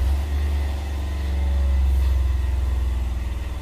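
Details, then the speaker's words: Six-year-old Fischer Panda 7.5 kW generator with Kubota 11 hp diesel, after fuel system bleeding: fires right up after start cycle, settling into a deep steady even chug with no hesitation; clean healthy start. "fired right up that's because i bled that fuel system if you don't do that when you service these things they're not going to start because they don't like air in the fuel system"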